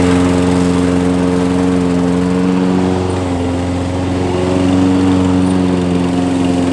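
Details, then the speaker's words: Nearly new Toro walk-behind mower found discarded, after fresh ethanol-free fuel with Sea Foam and air filter reinstalled: electric start works, small engine holds an even, steady beat with no surging, misses or knocks. "i'm happy when things work out got a free mower and it starts and the electric start works as well"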